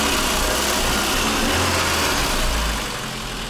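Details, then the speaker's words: 1999 VAZ 21099 after refitting exhaust and oil change: steady even idle with smooth exhaust note, no puffing or blowing; normal idle, exhaust sealed. "работает всё никакого пердежа это в банке уже это уже не средня часть Я доволен капец"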